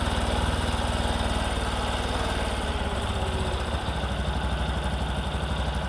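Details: Discover motorcycle, in a clip about mileage and engine-sound problems: small single-cylinder thumping at a steady idle, an even beat about four per second, no knock or rattle; sounds healthy, a normal idle.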